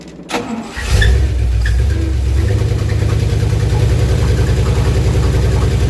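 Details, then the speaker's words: 1968 Dodge W200 Power Wagon, big block 383 V8; cranks, catches into rough loud low idle with harsh clatter; something horrible inside, oil pressure light goes off on firing. "boy something's horrible some may not be coming back all the way yeah that sounds pretty bad"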